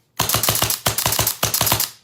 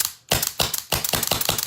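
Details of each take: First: Autococker paintball marker timing check: hammer drops, cocking cycle starts and stops, then reset. Rapid string of about a dozen sharp, evenly spaced cracks in under two seconds, each cycling cleanly; timed correctly. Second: Okay, so that's that sound I was talking about. You hear that slapping sound? So we need to add more pressure.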